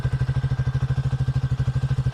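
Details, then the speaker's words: 2024 Triumph Speed 400 single-cylinder with 131 miles, at idle; deep, even thumper beat at about eleven beats a second, steady and clean with no knocks or misses; great-sounding, healthy engine. "Great sounding engine. Really that classic thumper sound, that big single cylinder."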